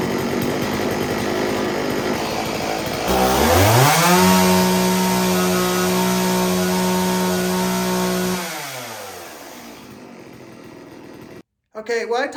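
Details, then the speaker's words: STIHL Wood Boss 024 AV chainsaw after flooding cleared: idles, revs to a clean steady high whine for several seconds and drops back smoothly; tune nearly spot on, running just slightly rich; normal running. "the customer and explained to him that i got the saw to start right up and the tune was pretty much spot on it was running just a tad bit a little rich nothing too crazy"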